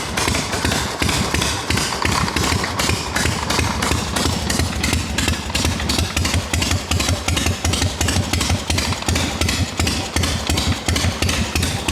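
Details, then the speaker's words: Harley XLCH chopper idling, kicker down at the bottom: steady idle with a rhythmic rubbing knock about three times a second. Owner suspects the kicker shaft's inner thrust washer isn't located on its pin, letting the shaft float; primary and clutch may need pulling. "Now I know what it is. There's a thrust washer on the inside of these kickers."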